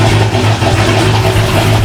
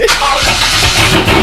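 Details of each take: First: C5 Corvette V8 at first start-up after installing a BTR Stage 3 cam, with catless longtube headers, Corsa Xtreme catback, ported manifold and 85mm throttle body: lumpy, loping idle runs several seconds, then the engine suddenly dies, stalling after starting. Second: C5 Corvette V8 at first start-ups after installing a BTR Stage 3 cam, with Corsa catless longtube headers and Corsa Xtreme catback exhaust: loud, choppy catch and uneven loping idle typical of a big cam, no mechanical knocking.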